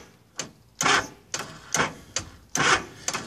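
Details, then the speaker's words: Honda GL1100 warmed up after a carb rebuild and sync (about 10 inHg), with a replaced starter, a 14.6 V charging stator and apparently no overheating: sharp clicks in uneven bursts about once a second with no cranking. It starts fine cold; warm, the starter only clicks. "almost sounds like a dead battery but when I bikes running stators putting out 14 point 6 volts so it is charging the battery while it's running"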